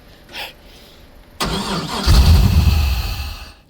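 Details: Abandoned barn-find LS1 V8 speedway car, first start: brief crank, then it catches and roars about two seconds on starting fluid before dying; starved of fuel, new fuel pumps needed.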